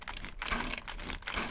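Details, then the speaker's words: HPI Savage 25 nitro RC after melted spur gear replacement, gears turned by hand: dry uneven ticking clatter in short bursts; spur gear mesh set too tight, deliberately, owner expects it to wear in. "makes that noise. It's too tight. But I like to run them like that."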